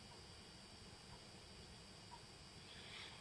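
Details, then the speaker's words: Thin, steady high whistle over faint hiss from the power supply of a DIY radiator-booster fan unit (fans on about 0.7 W, themselves inaudible); power supply whine. "das Pfeifen was ihr hört ist das Netzteil muss ich mal wegnehmen der Sack"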